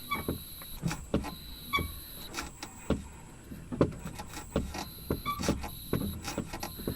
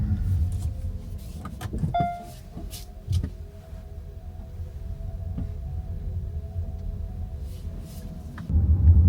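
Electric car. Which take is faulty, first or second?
first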